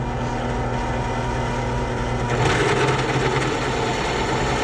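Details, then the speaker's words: Drilling an oil passage in a Yamaha YFZ450 engine part clamped down: steady motor hum, then rough rattling buzz as the bit bites, chattering on the edge of the existing hole. "So I'm going to start with this. You can hear the chatter. That's why I wanted to clamp it down, because this thing would have been moving all over the place."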